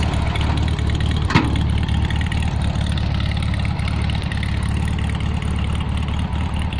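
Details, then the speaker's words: Restored 1971 VW Beetle automatic with rebuilt engine built as a 1700 and 30,000 miles showing, idling after a freeway drive: steady, even low chuffing air-cooled four-cylinder beat with no knocks or misses; the engine runs quite well. "As you can hear, the engine's running quite well."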